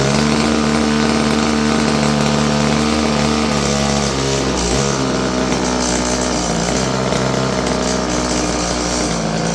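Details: Stihl FS56 curved-shaft two-stroke string trimmer, about 30 years old: runs rough and uneven, no high speed unless choked, pitch sags; owner suspects gummed carburetor.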